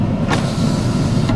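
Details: 1994 Oldsmobile Ninety Eight Regency, 3.8L automatic, rear power window operated; even motor hum with soft thump at start and stop, window travels smoothly without binding; motor working fine.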